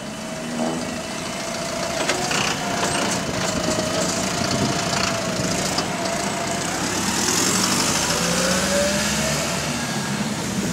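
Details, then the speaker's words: AL HV42 bus on route 335: irregular clucking knocks, about three to four a second, over the loud engine drone; suspected connecting rod knock inside the engine. "so basically the Piston or the engine piston or engine rod yeah is what you're hear making that clucking sound"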